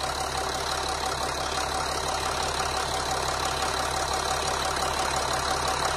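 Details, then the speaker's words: Engine idling while EGR valve is energized; valve motor audibly runs but idle stays smooth with no stumble or stall, either polarity; EGR valve stuck closed. "now and engine doesn't seem to go rough or try to stall"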